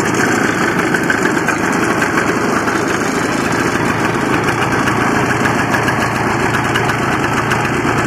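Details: Barn-find 1984 Honda Odyssey two-stroke, cold start on gas mix after a carburetor rebuild and choke fix: a steady, crisp, even idle with no misfire that revs up readily; the owner asks whether it is running lean.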